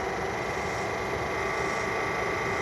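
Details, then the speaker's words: Tesla A/C compressor, located under components between windshield and front, cooling on low with steady whirring drone; bearings suspected failing, compressor likely needs replacement as it cannot be rebuilt. "that noise is not normal attracts a lot of attention this is on low right now so this is probably going to need a new compressor you can't rebuild it you can't put new bearings in it"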